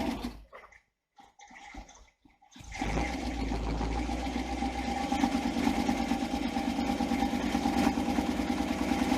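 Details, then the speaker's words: Newly built twin-supercharged 350 V8: after a few sputters it catches and runs with a ragged, uneven clicking and clacking chatter under the drone; something internal sounds wrong. "it sounds like there's something not right in there yeah i hear it clicking and clacking them"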